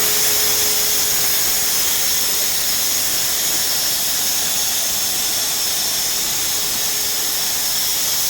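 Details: Renner RS Top 7.5 kW screw air compressor (about 1 m³/min), built 2013, just under 5,000 working hours, with air/oil separator, oil filter and air filter replaced: steady loud airy rush over an even hum, no knocks, rattles or squeal, running normally.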